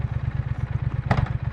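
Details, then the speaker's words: 2020 Triumph Speed Twin 1200, stock, after a bad idle treated with fuel injector cleaner, helmet and back-pocket mics: even, steady thumping idle about fifteen pulses a second, no misses or hunting. Normal idle. "It was kind of normal. The the idling was pretty good."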